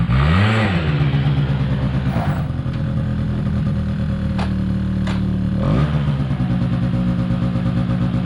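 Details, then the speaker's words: 2005 Polaris Predator 90 small two-stroke quad, long-sat, new battery. Carb retuned and air screw adjusted; brake clean sprayed around the carb gave no change. Revs up, then hangs at a raised steady buzzing idle; high idle hanging, cause unconfirmed. "I gave it a quick rinse with the water hose, and I did tune up the carburetor a little bit more because I believe the last time it ran for y'all, it was high idle was hanging."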